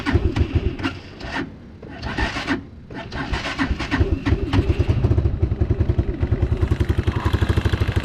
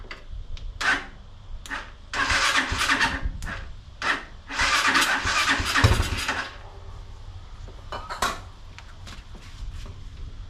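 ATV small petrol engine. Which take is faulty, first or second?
second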